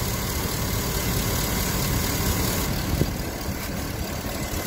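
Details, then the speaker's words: Engine restarted after sitting, following cleaning of the dirty serpentine belt and pulley grooves with a steel brush and silicone lube: steady, even idle with no squeal or chirp, so the belt now runs quiet and smooth. "so I waited for a while and then restarted no noise yet runs nice and smooth"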